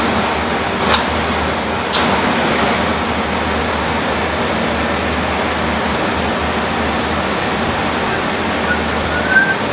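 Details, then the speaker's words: 2014 BMW G 650 GS single-cylinder at idle after a DIY valve adjustment (shims) done over a noise the owner had been hearing. A steady, even low thump with no ticking or hunting; the owner says it idles better now. "I think I can tell it's idling better now that sounds like a German machine"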